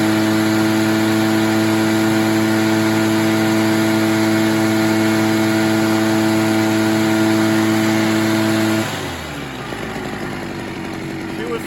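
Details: Echo PB403T backpack blower, about 25 years old, fixed from a no-start with a new air filter, choke off, mixture leaned after four-stroking: steady high two-stroke drone, clean and even with no missing, then shuts down; normal running.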